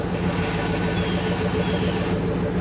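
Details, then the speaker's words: Shelby with a manual clutch at nearly 50,000 miles: a steady low hum with a faint constant whirr over the idle while the clutch pedal is pressed, from a worn clutch release bearing. "release varing is making a noise when you press the clutch"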